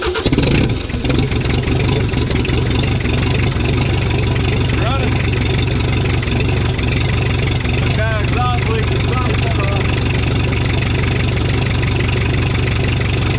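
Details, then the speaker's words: 1984 Mazda B2200 mini truck with 2.2L Perkins diesel, sitting since 1998, fuel system losing prime: catches after a rough start and settles into a steady, even idle clatter with a little exhaust smoke; runs well. "sounds good it's got a little bit of exhaust"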